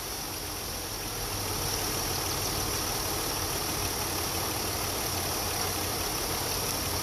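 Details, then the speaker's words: 2008 Chevy Impala 3.5 V6, noise persisting after power steering pump replacement: idle rising slightly with a thin steady high whine; air bubbles seen in the fluid, so pump whine from aerated fluid, air source being traced. "Those are air bubbles. That's what's giving you that noise."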